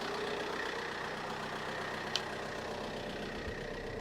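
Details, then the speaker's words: 2009 Vauxhall Insignia diesel, 147,000 miles, start during a coolant flush, started first time; steady even diesel idle clatter with a faint constant whine while warming up, heater on hot, no misses or knocks. "Car started up first time, no problem."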